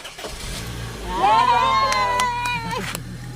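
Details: Honda VTEC whose starter bendix drive slipped off the flywheel instead of cranking, after starter repair: starter rises to smooth steady whine and engine turns over without grinding or slipping; normal starter cranking after bendix fix.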